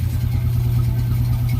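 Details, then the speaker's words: Honda Wave 125i (bought 2007, sold 2013, returned after 12 years) under restoration, idling after full-wave charging conversion; charging reads 13.4 V at idle and 14.9 V revved. Steady, even low single-cylinder thrum with no knocks or rattles. Normal idle. "So yun na mga kaduit, okay na okay. Ang ganda ng tunog ng makina, talagang kailangan lang ng himas ito."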